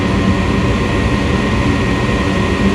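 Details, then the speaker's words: Furnace startup on a call for heat from the thermostat: relays click, the inducer starts and purges the system of harmful gases. A steady, even rushing hum with no rattle or surging; the inducer is drawing well. "and now it's cleaning out the system cleaning out any potentially harmful gases"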